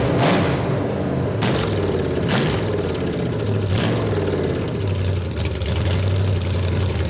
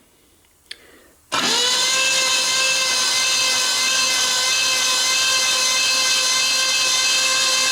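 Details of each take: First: Freshly built Ford 429 ThunderJet V8, run on the floor during cam break-in, with good oil pressure: it runs fast, revs wandering, and never drops to a slow idle. A faulty carburetor is holding the idle high; the engine itself seems fine. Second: Freshly rebuilt Ford 429 ThunderJet V8 for a 1966 Fairlane, on the floor with the transmission bolted up and all spark plugs out: a smooth, steady starter whine with no compression pulses while cranking to prime oil. Oil pressure came up after a minute.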